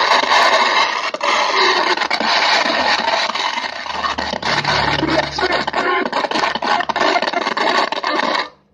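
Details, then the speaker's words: Radio with unclear, noisy sound: harsh hissing roar with constant crackles and pops and no clear audio; repairer suspects the switch, usually at fault in such cases, cause unconfirmed. "Oke kasusnya seperti ini teman-teman suaranya Suaranya nggak jelas saat ini saya akan mencuci kayak ada suara mengganggu kayak suara mengganggu gitu ya"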